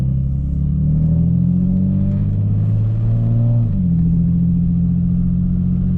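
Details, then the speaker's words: Car with a new cheap muffler: a deep, boomy drone with a buzzy low rasp that swells with revs, said to be less bad at cruise. The owner is building a 3-inch test-pipe-back exhaust to replace it. "this one is to show you how terrible my new exhaust sounds and to tell you that uh i'm building a three inch test pipe back exhaust because uh this doesn't sound good"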